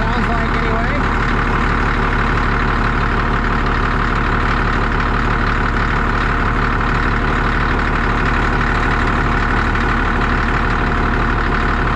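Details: Cat D6D dozer, late 70s/early 80s, diesel just fired right up and idling with even deep steady chug, no misses or knocks; engine bay covered in hydraulic fluid, owner suspects hose leak when lifting blade. Normal idle.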